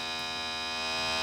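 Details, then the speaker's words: Lennox CD radio with stuck tray, microphone held close: steady, even electric buzz with no clicks or tray movement while the display shows open; motor runs but tray does not open, slipping or worn drive belt suspected, not confirmed. "If we I think well it's saying open on the screen here and it's just trying and nothing's happening. So the motor's working. I would suspect it's just a belt."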